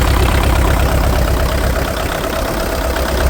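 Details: International TD-6 crawler diesel, sitting 11 years, after fixing the cylinder #4 misfire (number four now hot): deep idle with an even, steady beat on all four cylinders and no dropped pulses. Normal idle.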